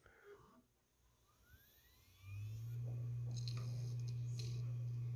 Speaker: okay you can hear the HDS working you can also hear the reverberations